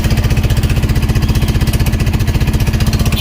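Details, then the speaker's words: Bajaj Pulsar NS160 engine at idle, about 400 km after a rebore, with heavy smoke and poor revving: heavy steady clatter near four knocks a second, like a broken engine; worn rocker arms from oil starvation. "అంతలోపల మళ్ళీ దానికి sound అయితే create అయ్యింది. Engine పగిలిపోతే ఏ విధంగా ఉంటుందో ఆ విధంగా అయితే sound వస్తుంది."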